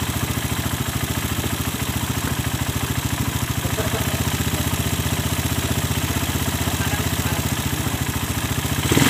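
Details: Suzuki Satria FU, otherwise stock, just fitted with a new PE 26 carburetor and air filter: even steady single-cylinder idle beat, no misses or knocks, rising slightly as throttle opens; sound is good.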